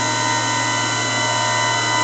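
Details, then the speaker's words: A TR1998 VHF AM aircraft radio, possibly from the Cold War era, is probably transmitting at about 4.5 W with about 60–70% modulation. It gives a steady hum and whirring with fixed high tones and no pitch change. The set simply runs noisy, with no source identified. "quite a noisy radio I guess on the aircraft the radio would be somewhere else other than where somebody's going to listen to it"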